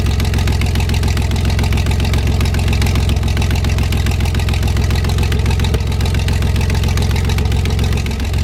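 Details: 1973 GMC 432 cu in V6 with five-speed Spicer, first run after about 5 years sitting, warmed up: deep steady idle with an even low thump and no misses, knocks or stumbles; slight smoke only at startup, cleared when warm; normal idle.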